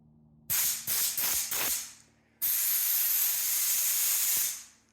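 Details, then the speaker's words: Craftsman air compressor feeding a regulator and air hose set to 80 psi after a fitting was tightened to stop a leak: four short sharp blasts, then a strong steady hiss that stops cleanly; normal leak-free airflow. "yep that's definitely sounds like 80 psi verified"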